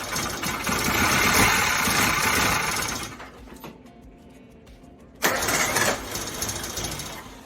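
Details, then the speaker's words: Suzuki Samurai carbureted engine after breakdown, power valve replaced in the carburetor; starter churns steadily about three seconds then a second short crank, engine never fires, crank no start, cause still unknown. "well it is still not running so I don't know what the hell the issue is but I'll keep digging"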